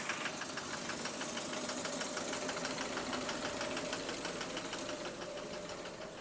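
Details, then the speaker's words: Bus engine idling, heard from under the engine hatch: a steady idle with a sharp metallic tap about three times a second over the engine note; the clocking noise long mistaken for exhaust is knocking from the pistons/rods. "now I thought that was I thought that was the exhaust that's actually the that's actually the the the fist bro bro all this time all this time I thought it was the sound the bus was meant to make I thought it was meant to make it that noisy"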